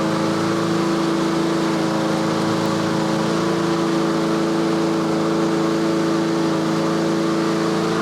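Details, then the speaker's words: Yard Machines/Yard-Man 21-inch self-propelled push mower, warming up after start at tune-up: even, constant hum at about 3300 rpm, its usual governed setting, with no misses, surges or knocks; running smoothly. "so that's the inductive attack it's running about 3300 that's where i normally set them so so"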